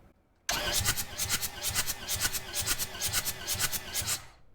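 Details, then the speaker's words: Long-neglected skid steer diesel being compression tested, valve cover off, gauge in cylinder one: even quick cranking about two beats a second, no firing; cylinder one reads only about 25 psi, likely why it won't start. "oh boy that cylinder's seeing like 25 psi that's not good that is really really bad that that is probably why we're not getting this thing to start it ain't got no compression"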